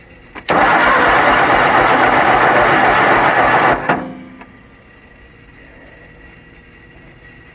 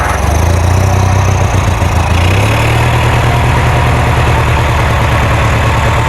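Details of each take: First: Kohler Magnum 20 engine on a Wizard garden tractor, second start after repairs, battery on charger boost: starter turns the engine steadily at about four compression pulses a second for three seconds but it never catches; cranks, no start. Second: Kohler Magnum 20 engine on a Wizard garden tractor after repairs, just started after priming and choke: steady, even low putter at idle settling into a slightly higher smooth beat; engine runs cleanly.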